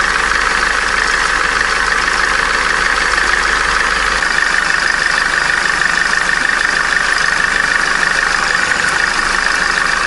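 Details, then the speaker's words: Opel Corsa D A14XER, 65,000 km, codes P0011/P0014: on a cold idle a steady high whistle that does not change pitch comes from the worn tensioner idler pulley bearing, which needs replacing. "холодную свистит подшипник ролика натяжителя его надо менять"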